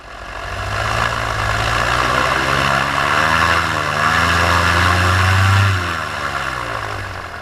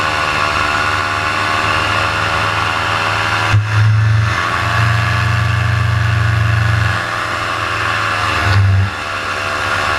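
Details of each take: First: Paramotor in flight just after launch, full fuel tank, motor under an hour of flying time, wide-open throttle: high, even drone with pitch wandering only slightly, no bogging or sputter; healthy before the later failure. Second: Paramotor in flight soon after launch, motor under an hour of flying time, throttle held wide open: the two-stroke drone sags and surges, pitch dropping then recovering; the motor is bogging and losing revs, and it later died completely on the landing approach.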